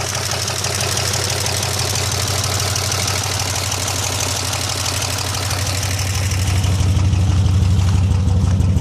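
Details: 2002 Pontiac Bonneville SE after an hour-long 75 mph drive with the oil pressure gauge reading zero much of the way and a suspected miss; loud steady knocking about three per second over a rough idle, growing heavier; engine knock, motor likely done (suspected).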